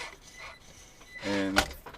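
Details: Mini-Z 4x4 Suzuki Jimny RC car on its first test run after board repair: short, clean electric whine as it pulls away, smooth and even with no grinding or stutter; it now works.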